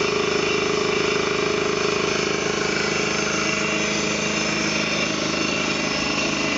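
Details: Ingersoll Rand T30 2475 upright air compressor, 7.5 hp, 80-gallon tank, set at 175 psi: steady, even pumping hum with no hiss, knocks or rattles; no air leaks, runs smoothly and healthy.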